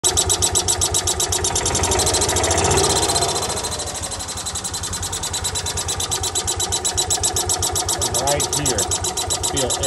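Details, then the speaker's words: Kawasaki FE350 after a rebuild, running at a steady lope with a sharp, regular chirp on each beat. Owner feels air escaping near the cylinder head and notes something still engaged at idle that does not open fully; leak suspected. "Feels like it's coming from right down near the head."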